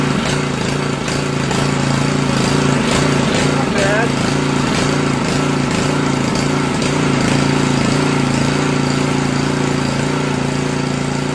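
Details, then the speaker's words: Honda GCV 160-190 series engine on a Generac pressure washer after valve adjustment, unloaded near full throttle with no idle: fast, fairly even running with only a faint slight surge; normal, surging unloaded is not a concern. "This is trying to run at full throttle most of the time. There's no idle down, there's really no idle per se, so don't worry so much about surging."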